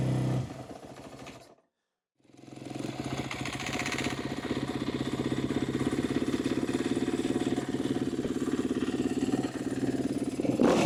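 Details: 2014 Kawasaki KX250F single-cylinder four-stroke, first start after fitting a full exhaust with OEM muffler, fires after a short pause and settles into a steady, even beat with no knocks or rattles; normal running.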